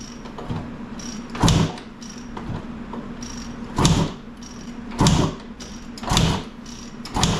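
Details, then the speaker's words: 1995 KTM 300 EXC that won't start, kicked with the choke on after carb work: five heavy kicks about a second apart, each a dull thump with no firing; cranks but won't start. "something we can try if compression is low a bump start we'll kick it over fast enough that we can maybe get enough compression that it'll fire"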